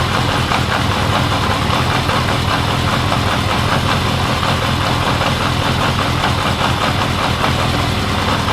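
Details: 1979 Honda CB750 K four-cylinder after carb cleaning, rebuild, bench sync, then vacuum-gauge carb sync and idle knob adjustment: steady, even idle with faint lingering lope; sync had been out, now smoother with slight cadence; normal idle.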